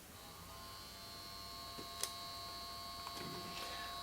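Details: 1953 Chevrolet push-button tube car radio, model 986668, vibrator supply (6 VDC up to over 600 VAC) on the bench with no tubes fitted, about 4 V input giving 177 VDC: steady high buzz with thin whine, no stutter. Normal vibrator hum.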